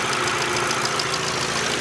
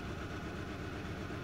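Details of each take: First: 2012 VW Jetta GL 2.0L after replacing the cylinder 1 plug wire: steady, even idle firing cleanly on all cylinders, misfire count stuck at zero. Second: 2012 VW Jetta GL 2.0L with P0300/P0301 idles lumpy and shaking, smelling of raw fuel; cylinder 1 misfires constantly, over 200 counts, from a faulty number-one ignition plug wire.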